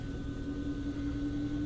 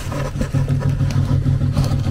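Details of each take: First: HVAC variable speed blower motor after replacing the failed motor, running in fan mode: smooth, even mid-pitched hum with no ticks, rubbing or wobble; normal blower running. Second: HVAC furnace variable-speed blower motor in fan mode: low, uneven hum that surges and sags as the fan struggles to spin, never reaching steady speed; failing blower motor, replaced afterwards.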